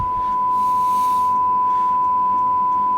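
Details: HMV "Little Nipper" 63-53 valve radio whose fault is fading volume (leaky cap to the 6M5 grid suspected). During alignment at 1400 on the dial via the aerial input, a steady ~1 kHz generator tone over light hiss plays while the aerial stage is trimmed for maximum meter reading.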